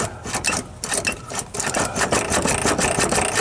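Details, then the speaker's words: 1957 Chevy big-window V8 pickup, long-sitting, choke open, throttle return spring needing repair: dry, raspy starter churning about three beats a second, uneven but free, pulling air through fuel lines; spins over without binding or firing. "can almost hear it sucking the dusty old rusty air out of the fuel lines that's pretty good actually"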